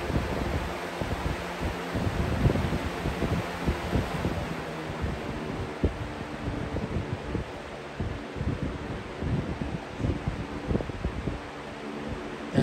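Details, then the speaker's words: Air King 9723 box fan with original 3732 blade and motor wiring fixed: soft, even low hum with light airy rustle and no rattle or ticking on low speed, much quieter than with the 3733 blade. "is a much quieter low speed whereas with the other one that i had which i still have is over there it just has the weathershell blade in it"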